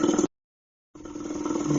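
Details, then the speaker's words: C4 Corvette A/C conversion from R12 to R134a: steady mid-pitched vacuum pump drone settles lower after a brief gap as the opened low side is sealed again with the correct fitting. "hear the vacuum pump changing pitch again that's because I've sealed up that side once again"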